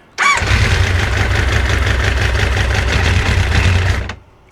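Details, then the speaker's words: 25-year-old Kawasaki ZG1000 Concours fires after cooling system work and bleeding at the thermostat bleeder, runs a rough uneven idle about four seconds, then dies abruptly because it ran out of fuel. Stall from fuel starvation. "OH, IT'S OUT OF FUEL."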